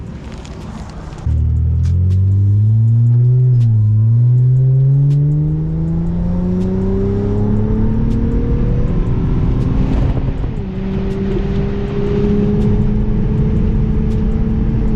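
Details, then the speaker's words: 2003 Acura TL Type S after a misfire fix and a new short ram cold air intake: the engine note climbs and settles cleanly as it revs, with no stumble or miss. It runs definitely smoother than before. "Definitely a lot smoother. I don't know if it was because of the short ram intake or what it was, but this one, it's definitely way better."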